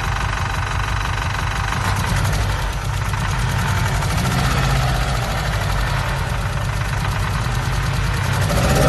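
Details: Z20LET forged engine on first start-up idles roughly, its deep thrum stumbling unevenly from a misfire.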